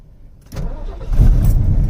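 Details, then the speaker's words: Classic Ford Mach 1 Mustang with a carbureted V8, a Copart car listed as run-and-drive: after a short crank it fires right up into a deep, even burble. A clean, normal start. "She fires right up! When do you know an old school carbureted car to just fire up like that, man? Never."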